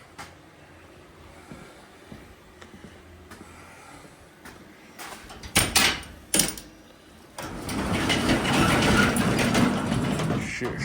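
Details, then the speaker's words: 400 big block in a 1971 Dodge Power Wagon Adventurer, first firing after swap, Carter Thermoquad, open headers: after cranking bangs it fires into a loud, rough, rapid bark, no knock; runs healthy, sounds good. "well sounds pretty good of course open headers everything sounds good with open headers"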